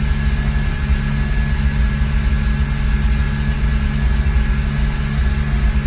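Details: 2001 BMW E46 330Ci with MAF sensor unplugged, warm, throttle floored: flat steady drone with no climb in pitch, won't rev past 3000 rpm, barely drivable with no power; cats red hot, owner guesses fuel or oil getting in.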